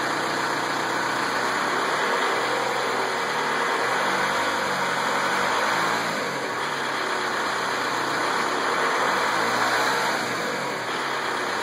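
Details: Volkswagen Beetle TDI diesel idling with an unknown light, fairly regular tick about four per second over the clatter, most apparent at 26 seconds.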